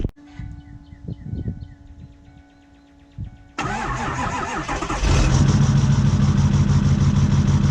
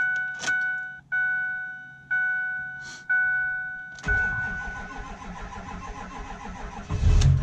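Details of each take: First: Ford 6.4 Powerstroke diesel with power loss, codes for injector control module and exhaust pressure sensor: cranks, catches and idles with a steady heavy knock about three per second from the front; cause unconfirmed. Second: Ford 6.4 Powerstroke diesel after injector-related repair, codes cleared, 73-degree day: warning chimes, cranks, catches and settles into steady even idle with no miss or stumble; running much smoother than before.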